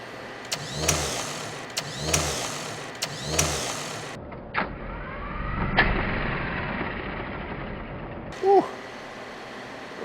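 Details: 1970 Chevrolet K10 4x4 pickup abandoned 26 years, first start on jump pack: three cranking bursts, then fires and runs roughly a few seconds before dying, catching only on primed fuel.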